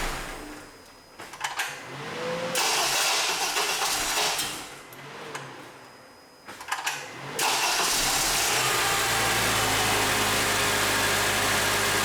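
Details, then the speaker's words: 2007 Honda Accord 2.4L VTEC with an intermittent grinding noise when starting: harsh metallic grinding bursts from the starter during each crank before the engine catches and idles. The starter was replaced about five months earlier; a starter gear not meshing is suspected, not confirmed. "You turn the key, crank it over, and it grinds or yeah, I guess grinds would be the best noise coming out of the starter."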